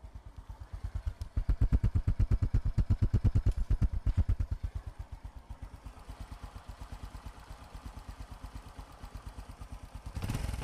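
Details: Honda Future Neo single-cylinder engine after repair, restarted. An even putter with crisp regular clacks revs gently and settles, with no rattle or misfire. Normal running.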